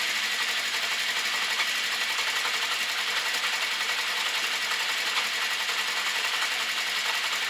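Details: Honda CB650 Custom started very cold, ticking after warm-up: steady light rapid high-pitched ticking over an even idle with slight backfiring; owner suspects valves on cylinders 3 and 4, possibly clutch or cam chain area; not confirmed.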